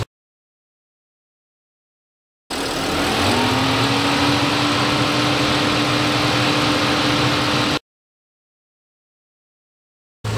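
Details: Car after replacing coolant temperature sensor and thermostat to cure radiator fan always running full blast, coolant bled: cranks, catches, pitch rises briefly then settles into smooth idle with no fan roar; fixed.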